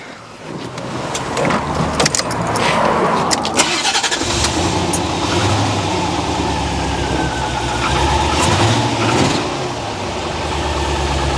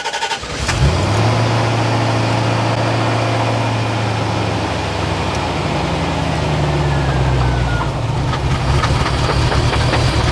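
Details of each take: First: Barn-find C4 Corvette ZR-1 after an ECM repair, after cutting out: it catches after cranking and settles into an uneven, lumpy idle with the engine light on; the battery terminal is checked, cause unknown. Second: Chevrolet Corvette C4 ZR-1 barn find, first start after ECM repair reflowing cracked solder joints at connectors: cranks, catches quickly, settles to a smooth even idle; service engine soon light possibly from low coolant.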